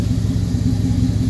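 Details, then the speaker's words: 2002 Toyota Camry bought cheap, overheated to the red on the freeway; no coolant in one place while another holds coolant mixed with oil. Rough, pulsing rumble with an uneven beat and light ticking; blown head gasket. "yeah yeah oh yeah that's uh that's a blown head gasket"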